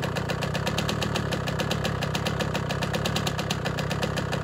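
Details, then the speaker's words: Honda CR125 two-stroke after cylinder replating, new Wiseco Pro Lite piston and new head, first start on a mild day: sharp regular tick over the idle in time with the engine; owner suspects a big end bearing. "so it started up but it's making a little bit of a noise i don't particularly like maybe a big end bearing"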